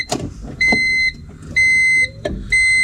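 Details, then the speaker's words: Older Honda car, key cycled three times to prime while checking for leaks; three short, steady high fuel pump whines of about half a second each. Normal fuel pump priming. "okay so now we're going to Prime this thing all right you guys look for leaks"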